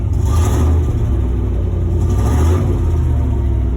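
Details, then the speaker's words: 1996 Chevy Silverado OBS V8, very cold start after cleaning the idle air control valve and replacing its O-ring: fires quicker, picks up cleanly on two throttle blips with no bog, returns to smooth idle; normal. "she fired up a lot quicker now uh-oh it's on the cold start and i'm able to throttle it i think that's a good sign idle went back down smooth"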